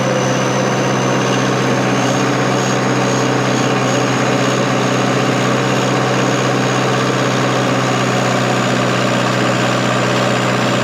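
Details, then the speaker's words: Diesel bulldozer after valve cover work: steady, even low idle with no hunting or missing; runs great. "out oh runs great man we're ahead of schedule"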